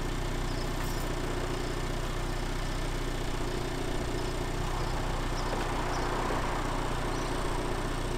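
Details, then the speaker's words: Honda Integra DC5 turbo build, first start attempt after long sitting with oil cooler added: quiet, sluggish cranking about three times a second, never catches; battery dead from sitting, to be charged overnight. Dead battery slow crank. "I know so hopefully as you saw from the last video it won't start uh got two issues one the battery is dead dying um obviously been sitting there for so long it's just completely gone kaput"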